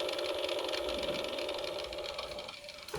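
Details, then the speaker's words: Sony MHC 2600 hi-fi system: at power-on a thin, steady mid-pitch whine comes from the top cassette deck, fading at the end. The right cassette door opens but the left is stuck; the deck motor spins against a melted drive belt. "So when I press the power on, there's like a whining noise, and it's coming from the cassette deck at the top, and I'm able to open the cassette door on the right."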